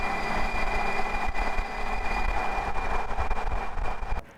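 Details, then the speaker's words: V8 TDI diesel overland project vehicle: a steady high whistle rides over the diesel's low rumble the whole time, from the existing exhaust that whistles like mad; the exhaust is to be ripped off in the workshop. "It's got a silly exhaust on it that whistles like mad. I'll put a video of what that sounds like."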